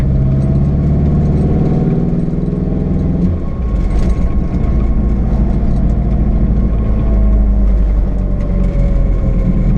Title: GTT First Drive Misfire ?